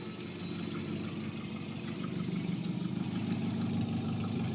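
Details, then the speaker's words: 1986 Mazda B2000 SE-5, carbureted with mechanical fuel pump, worn engine, cold start after sitting for an unknown long time: settles into steady even idle, no misses or knocks, little smoke; runs fine. "well there she is hahaha of course it still fires up will it idle it sure will"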